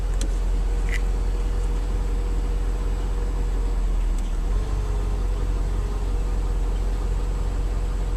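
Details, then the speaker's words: 2003 Mercedes S55 AMG, 186,700 miles, on ramps after ABC/power steering hydraulic pulsation damper replacement; system bled and suspension cycled. Smooth, constant low idle hum, quieter with less hydraulic whine and no pump groan: normal idle. "my car is much quieter it was about new pulsation damper there's less hydraulic winding sound"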